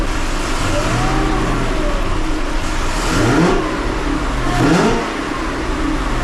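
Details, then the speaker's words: 2005 Chevrolet Corvette with 2-inch headers after an exhaust leak fix using new V-band clamps, new gaskets and Permatex red high-temperature RTV. The V8 revs smoothly with a steady deep exhaust note and no ticking or puffing. Smoothest running in months. "all right guys now that is the smoothest I've had this car running in many many months"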